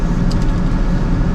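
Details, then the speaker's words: 2003 GMC Sierra V8: fires up immediately, very quiet, steady low hum with no misses or ticks; normal smooth idle, confirming the starting trouble was just a battery issue. "This thing is not skipping a beat. I don't even know if y'all can hear that. It's so quiet. But it fires up immediately now."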